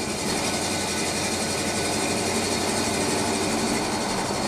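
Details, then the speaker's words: 1984 Chevy K20 pickup on a test drive at cruise with new Flowmaster Super 40 mufflers replacing the old Dynomax: a steady, deeper, quieter low exhaust rumble without the former drone or resonance; normal exhaust note. "And those mufflers sound so good. It's a lot quieter. Like I said, it doesn't have that droning tone that was so obnoxious with the old mufflers."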